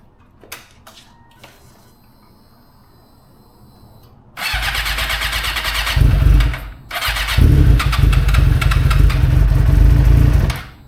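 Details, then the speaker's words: 2006 Suzuki GSX-R600, starting, then run about 15 minutes: engine catches, revs briefly, stumbles and nearly dies before picking up again; a cold-start hiccup, cause not confirmed. "But that was an interesting little hiccup that we had starting the bike. Uh I don't know if that's going to happen every time we try to cold start it, but we'll figure out tomorrow."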